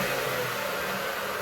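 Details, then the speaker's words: Old Dewalt flip-over saw, after the replacement capacitor was rewired correctly (it had hummed without running); smooth, even motor whir at constant speed with no hum or stall; healthy. "That's her. Up and running again, like she should, start no problem."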